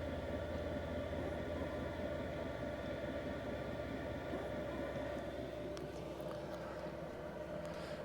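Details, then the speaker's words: Cheap Chinese diesel caravan heater set to lowest level one, drawing 3.8–4.5 A after restart without cool-down: steady whirring blower hum with constant tone, spinning faster than low setting; thought to be startup behaviour, should settle. "s let's whack it down to two I mean to one there we go okay so at 3 3.8 amp doing its thing again where it's running fast but I think that's just the startup"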